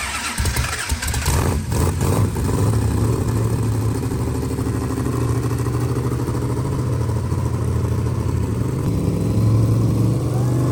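Big V8 catches after a few cranks and settles into a deep, steady, even idle with no knocks or misses; runs healthy.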